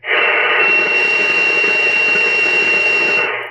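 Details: Taiwanese-made Cobra 148 GTL CB radio with odd modifications, on sideband receive: constant high-pitched kettle-like squeal over loud hiss, worse than AM; link to the AM noise suspected, not confirmed.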